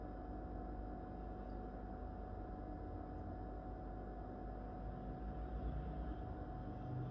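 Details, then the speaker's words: Whirlpool No Frost Inverter fridge in its first months of use, phone microphone held close; steady low compressor hum with a faint constant tone, no knocking or rattling, normal inverter compressor running. "uno de los comentarios más recurrentes es el ruido hace ruido bueno en estos momentos está funcionando la heladera"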